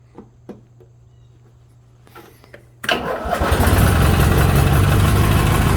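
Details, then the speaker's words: 1987 Craftsman GT18 lawn tractor, warm after being driven, after tune-up with new carb gasket, needle valve, drive belt and battery: fires right up and runs smooth and even; engine sounds healthy. "i got this one going it runs good i just drove it over here so it shouldn't take too much choke to start it up"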